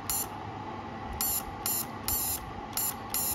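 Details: TIG200 inverter welder repaired after shutting off (relay replaced), TIG mode previously not working: short sharp crackling hiss bursts, about six in three seconds over a faint fan hum, each cleanly on and off; high-frequency arc start now working normally.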